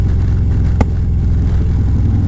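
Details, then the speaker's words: V-twin motorcycle at about 43,000 miles, backfiring during a ride with an uneven idle; exhaust was rattling loose, heat shield rattling. Deep, lumpy rumble broken by a sharp pop: backfire from an exhaust leak. "he did say the exhaust rattled loose a little bit so going to have to address that but yeah the backfire is pretty bad"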